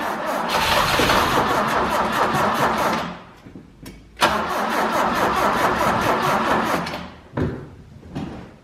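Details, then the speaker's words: 1968 BMW 1602 sat over 10 years, on jack stands, fuel primed by squirting into the carburetor: steady starter cranking about 150 per minute that stops and restarts, never catching; crank no-start, owner suspects petrified carb. "we're just going to give a little squirt and try to start it again and see if we get to start for a minute that should Prime quickly but this carb is probably probably petrified anyway"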